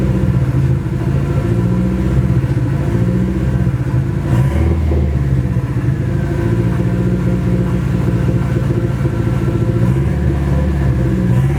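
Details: Nissan SR20 in a 240 on first start after engine install, open downpipe: loud, uneven, stumbling lumpy beat that holds through a rev blip; engine misfire, cause unconfirmed, owner suspects bad original gas.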